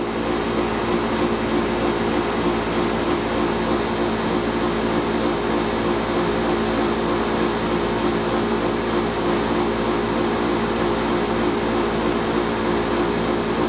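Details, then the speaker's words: Pentair 140 pool heat pump after fitting Brinmar compressor sound blanket sealed with duct tape: constant compressor drone with fan rush, steady, no rattles; normal running, a little quieter. "is a little quieter objectively it probably reduced it by a few decibels"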